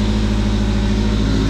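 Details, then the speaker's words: 2013 Fiat 500 Abarth MultiAir turbo, 34,169 miles, front-end wreck damage: loud raw idle with heavy low drone and uneven chuffing on a couple of revs; exhaust sheared off up front and boost tubes broken. "it is running uh it sounds pretty good give a couple revs the exhaust is sheared off up front so a little bit of redneck camaro white trash sound but i kind of like it"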